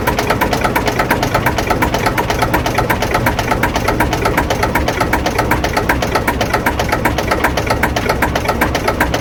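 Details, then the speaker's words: Lister JS3 three-cylinder diesel narrowboat engine, around 40–42 hp, just started: steady, even chug about four beats a second, no misses or knocks; healthy normal idle. "Beautiful that sounds. And what sort of horsepower does this throw out? I think it's around about 40."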